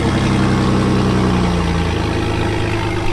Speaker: oh you can barely even hear it running [Music] yeah you can ever you can barely even hear it man that thing whispers ready to go